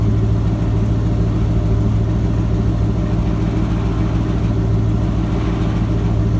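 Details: Ford F-250 with a 7.5L 460 big-block V8 after replacing the starter bypass solenoid for a no-crank, no-start. Deep, steady burble at idle with an even beat and no misses or knocks; idling as it should.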